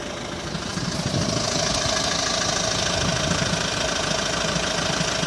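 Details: Hyundai ix35 diesel idling cold during warm-up: a rough, irregular knock laid over the clatter that disappears once warm; the dealer could not find the cause.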